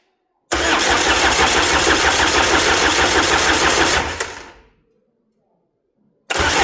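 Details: Peugeot 306 sedan XUD diesel turbo, first start after engine refit and injection pump rebuild (11mm head, 6-vane lift pump), on jump pack: even cranking about three compressions a second, never catches.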